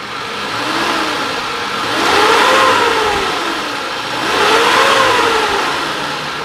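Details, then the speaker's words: 2003 Suzuki Carry Futura Realvan DRV being revved: two clean blips, pitch climbs and falls back smoothly to idle, no metallic knock or roughness; engine still smooth and healthy. "Nah, kalau dari kita geber pun ini suaranya pun masih cukup oke. Nah, suara mesin masih cukup halus, masih nggak ada suara ciri-ciri yang namanya metal lah ya, metal kena atau dia suara kasar gitu."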